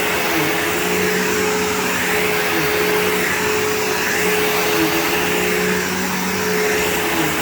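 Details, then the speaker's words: PowerForce 3522-6 vacuum bought cheap on eBay, motor running: loud, steady roar with constant whirr and no grinding, rattling or dropouts; the motor is running healthy. "And if the motor sounds healthy, I'm going to be incredibly happy. It's perfect. It's freaking perfect."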